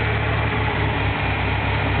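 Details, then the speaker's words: 1997 Ford Ranger at idle, then slight throttle: low, uneven, lumpy idle with dips, a persistent misfire that also occurs while driving, tries to die; MAF cleaned, IAC, plugs, wires, coil packs, vacuum lines already replaced without fixing it. "And as you can tell, it's not idling the way it should be. I'll give it a little bit of gas."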